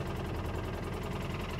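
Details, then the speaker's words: 2013 Polaris Ranger at idle with check-engine light on, engine code 651: uneven stumbling beat with one cylinder dropping out, a misfire causing low power, traced to a broken electrical connection at the injector. "all right with the engine running we can see that we have our engine light and we can hear that engine is missing"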